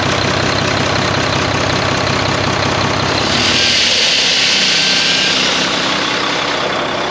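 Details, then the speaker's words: Volvo VNL truck with D13 diesel, first start after four months parked following a deer strike: loud steady windy hiss over calm idle, louder as engine surges; air leaking where a seal was left missing after repair work. "so there's a seal right there comes with a seal there's a seal missing from there after the guys replace doing what they're doing there's a seal that is missing"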